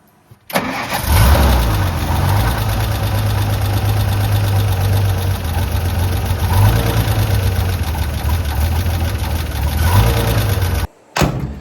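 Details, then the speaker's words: 1956 International S-160 4x4 six-cylinder, after an accelerator pump repair and timing adjustment, with the brake vacuum disconnected while chasing vacuum leaks. It starts and settles to an uneven, lumpy idle with a wavering beat: running rough, cause not yet found. "All right. So, it's not running perfect yet. Uh, I knew there's going to be some adjustment from here on out, too."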